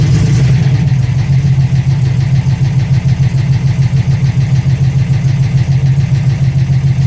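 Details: TVR on MS2 engine management after converting from TFI to VAG/VW coil packs: strong, even low drone holding steady with no misfire or stumble; all cylinders firing and running clean.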